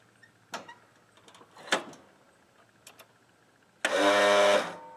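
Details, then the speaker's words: Craftsman L 9 lawn mower after cleaning corroded battery leads, battery nearly fully charged: scattered clicks then brief strained whine, no cranking; starter switch and clutch safety switch okay, starter fails to crank and was replaced. "Not yet. There's something else going on. That noise indicates that the starter switch is okay, as well as a safety switch on the clutch."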